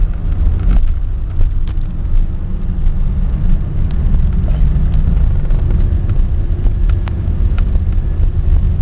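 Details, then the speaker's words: 1994 Chevy Lumina Euro 3.1 V6, no check engine light, ABS fuse pulled: rough, jumpy idle surging and sagging then stalling; shop found IAC, sensors, vacuum fine; owner suspects electrical fault, ECU, clogged catalytic converter or fuel pump. "and it just stalled it's very jumpy so anybody knows what it could be that would be great"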